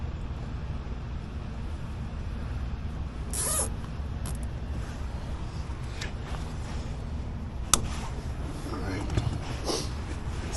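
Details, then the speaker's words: Old Lennox rooftop unit with a newly replaced furnace inducer motor: smooth, even low hum with only a few stray clicks and no rattle or scrape, far quieter than the old motor. "give this new motor chance see what it does way quieter much much quieter"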